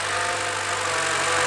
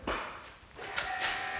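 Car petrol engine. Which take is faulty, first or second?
second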